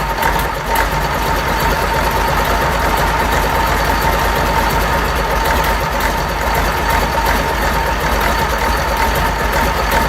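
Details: Fordson Major Perkins V8 diesel, first start after a long lay-up, no coolant in it: steady even low diesel rumble at idle, no misses or knocks; normal diesel idle.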